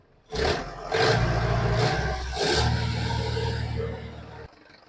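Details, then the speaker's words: 1995 Mahindra 500 Di diesel Jeep, first cold start after four years parked: catches within a moment and settles into an even, unhurried clatter with no misses or knocks; starts cleanly, no particular problems. "Gayas വണ്ടി start ചെയ്തിട്ടുണ്ട് പ്രത്യേകിച്ച് പ്രശ്നങ്ങളൊന്നുമില്ല വർക്കിം തന്നെയാണ് ആള്"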